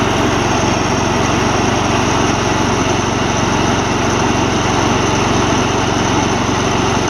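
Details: Old Gravely 16 Professional walk-behind mower, sat a while, formerly frozen mower deck now freed and working: steady, even engine drone, blades spinning smoothly, no knocking or squealing; deck and engine healthy, belt longevity uncertain.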